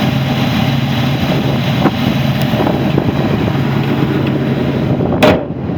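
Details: 1985 Buick Grand National (turbo): a steady, even idle with a smooth low hum and no knocks or misses over some wind. The vacuum reading is good; the cold idle sounds healthy.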